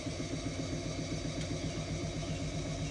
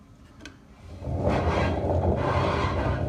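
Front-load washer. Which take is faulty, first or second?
second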